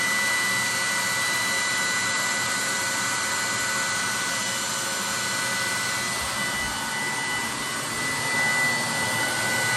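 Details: 30,000 BTU/hr multi-fuel fuel-fired personal cab heater for a 1973 M35A2 deuce and a half, after switching from run to off: blower pushes mildly warm air until fire and blower shut off, nozzle then about 114 degrees; steady airy rush, faint even hum, no ticking or grinding; normal cooldown.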